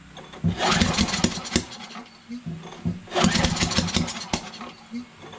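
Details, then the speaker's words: Free Yard Machines MTD 21" push mower, Briggs 550EX auto choke, brake cleaner sprayed in: two recoil pulls, each a brief cough and rattle that dies; cranks but won't start. Spark confirmed; owner suspects off timing, sheared keyway or valves; piston moves, rod not blown. "yeah it seems like the timing's off that could be the valves see that we're getting a spark for sure but the timing is off maybe it's a shared keyway huh"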